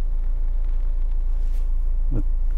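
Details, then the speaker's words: Honda/Acura idling with AC on, scan tool fan commands: steady low idle hum with constant fan whoosh; low radiator fan running, high fan coming on and off, cycling with the air conditioner, normal. "okay so the low fan is on right now okay the the high fan just came on and now it went off so it's cycling with the air conditioner"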